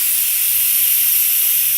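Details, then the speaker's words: Home central-heating radiator heating only halfway, system pressure just over 1 bar: steady, even high hiss of trapped air escaping from the bleed valve opened anti-clockwise at the top, before water drips out; air trapped in radiator. "The reason for this, because there is a lot of air at the top here, and the bottom is water. So I need to take out the air."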